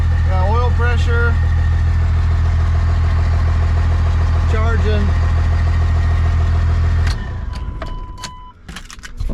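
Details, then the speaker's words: 1998 Dodge Ram 2nd-gen Cummins diesel, first start after the owner fixed his problems, on temporary power and with no coolant in it: deep, even rumble pulsing about 3.5 times a second, no knocks or misses, then shut off; normal idle. "I figured everything out and [Applause] purring like a kitten"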